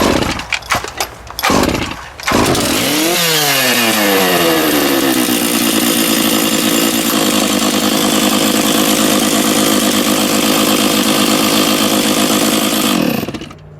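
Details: Stihl MS660 chainsaw, about 5.5 hp, run without its chain after clutch repair: a few pulls, then it fires and climbs quickly to a high, even scream without stumbling, and still has good compression. Normal running.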